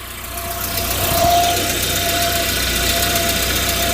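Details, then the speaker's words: Volvo 740 idling after fitting new front exhaust section: smooth even idle, steady exhaust note, no longer blowing or puffing from the manifold; quiet and healthy. "Oh, that's quiet. Oh, that's peaceful. That's the first time I've heard it not blowing from the manifold."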